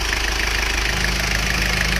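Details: Isuzu Panther diesel after engine repair, idling: steady even clatter with light regular injector tick over a low rumble, no misses or knocks; essentially no exhaust smoke or oil vapour, healthy.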